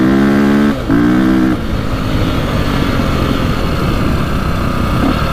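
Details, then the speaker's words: 2002 KTM 400 EXC single, warm, after fix of bogging and misfiring: strong steady drone with a slight hesitation at the start, then clean pull; running far better than before. "sounds pretty good you can still hear like the slight hesitation at the start but it's it's really good compared to what it was"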